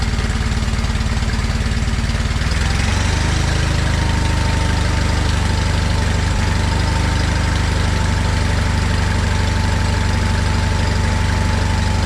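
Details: John Deere 317 lawn tractor after engine reinstall, running with choke off, air cleaner not yet fitted: settles into a steady, even idle with no misses; runs healthy.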